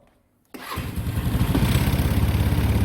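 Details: Longjia Easymax 125 scooter towed in for no-start at below −15°C, cause a dead smart key remote battery; after replacing it the engine catches at once and settles into an even, steady idle putter with no misses or knocks.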